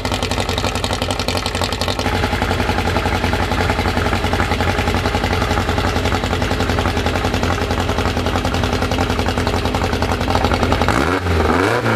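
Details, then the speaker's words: First start of a newly built 2054 engine: busy, even fast idle near 1200 rpm, kept high so parts seat in, gear chatter underneath, a quick blip at the end; running fine. "ele já está com uma marcha lenta de 1.200 não vou baixar marcha lenta agora vou colocar mais acelerada nele para as coisas irem no lugar"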